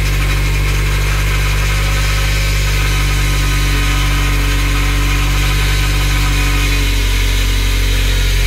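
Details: Nissan 200SX first start after engine rebuild: deep, steady idle drone with an even beat and no knocks or ticks; rebuilt engine running smoothly at normal idle.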